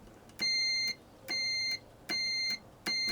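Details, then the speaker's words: Garage door opener limit switch on a continuity test: four clean high beeps, each about half a second, show the switch closing properly; all four limit switches tested. "so that one works I'm pretty certain that that one uh works perfectly fine I tested all four limit switches"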